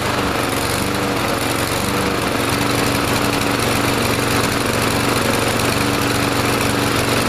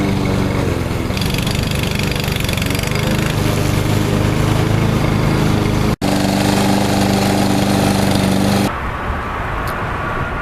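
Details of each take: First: Troy-Bilt TB230 169cc 4-stroke gas lawn mower after carburetor cleaning and Sea Foam treatment: holds speed but the note wavers and hunts instead of staying even, still not quite running right; faulty automatic throttle governor, later fixed by rewiring it. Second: Troy-Bilt TB230 169cc four-stroke mower treated with Sea Foam, its faulty automatic throttle tied open and the air filter back on: a steady, even high-throttle drone with no surging or missing, normal running.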